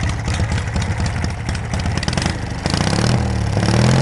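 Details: Small engine on a homemade tractor firing up with a new homemade 1-inch square tubing exhaust sealed with exhaust putty; low, uneven putter settling down, nothing knocking or rattling; normal engine running.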